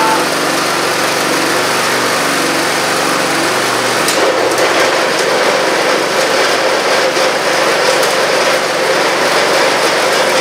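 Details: Antique Parmi Lazy Boy single-stage snow blower, about 40 years old and probably barely used, 3 hp Briggs & Stratton, started after a few pulls: steady, even buzz with no misses, surging or knocks; runs fine after long storage.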